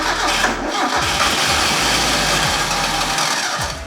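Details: Mazda Miata NA 1.6 with new ISR turbo kit: steady, slightly lumpy cranking with no firing strokes, fuel pump deliberately unplugged so it can keep cranking.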